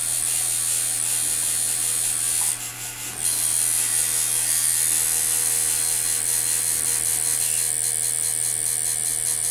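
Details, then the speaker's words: Ground Zero Bullwhip coil tattoo liner (L-0003), tattooing with gentle whip passes on skin; high fast buzz over steady low hum sags briefly near three seconds then recovers, the machine normally bogging into the skin and back out. "You can hear it in the bog right there. Out of the bog, in the bog."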